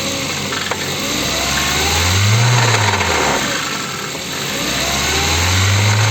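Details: Ford engine revving: dull repeating knock under the exhaust note that follows engine speed; engine knock.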